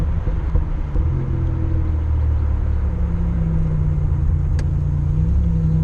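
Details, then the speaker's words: Car with a low-RPM, light-load miss; a new coil pack and a replacement coil did not cure it: engine drone rises and sags unevenly, briefly drops out then surges back under load; cutting out, owner suspects bad cam sensor. "Still cutting out. Did you hear it when I was right there? It cut out here. It's like surging right now."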